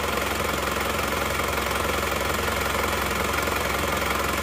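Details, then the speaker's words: Isuzu Panther LS diesel, after replacing the aftermarket 13 mm racing pump rotor head, gives a steady, even idle clatter with no stumble or shake, much smoother than before. "Sekarang mari kita starter ternyata suaranya jauh lebih halus dan lebih rata dia juga tidak bergetar seperti sebelumnya ya"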